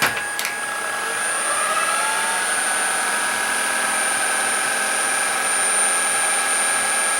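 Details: Shark ICZ362H Vertex vacuum tested after repairing a broken wire that stopped the brush roller spinning: a smooth, even motor hum at constant pitch with a light brush whir underneath. Running normally.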